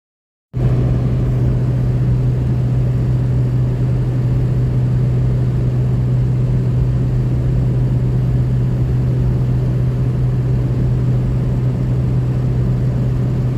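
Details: 2003 Ford F350 6.0 Powerstroke diesel after replacing LH Y-pipe to turbo V-clamp, fixing exhaust leak, over-boosting and power loss; steady even low drone, no puffing, ticking or hiss: normal diesel running after repair.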